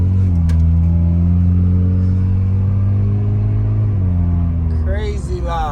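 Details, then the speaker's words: Honda Civic before the exhaust was fixed: deep, booming low rumble at idle with a slight rev, far louder than stock; sounds like a leaking or failed exhaust that the owner finds too loud. "somebody told me it wasn't that loud but I feel like it's extremely woud it's too loud for me"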